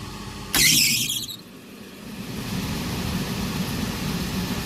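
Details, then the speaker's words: Rooftop gas heating unit with no heat, inlet gas pressure about 7 in. water column: sudden loud whoosh-boom of delayed ignition, then a low burner roar. Too much manifold gas pressure (3.3 in. WC) is suspected. "that was terrifying and we're still sitting at about seven inches of water column shut this off turn our gas back off real quick"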